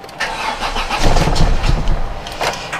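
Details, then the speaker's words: Volvo 480 project car, first start after replacing the CEM and repairing the fuel filter pipe, fuel pump heard running: starter churns in steady rapid pulses with faint attempts to catch; long crank from fuel starvation until fuel gets through. "definitely fuel starvation problem I'm guessing this is just whilst we try and get some fuel through to the through it cycle out a couple of times"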